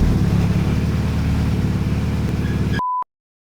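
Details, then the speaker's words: Fully built Evo 9 on first start, fuel pressure not yet set: smooth, even idle but slow, lazy and too low; low idle speed. "But it fired up and it sounded good. Yeah, I mean, it had a smooth idle there. Yeah, but it idled too low for the"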